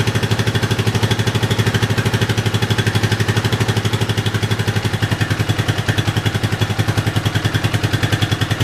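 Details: Yamaha 660 single-cylinder after carb re-jetting for a lean condition, tank loosely fitted; even steady idle thump with very little popping or misses, carburetion sounds clean.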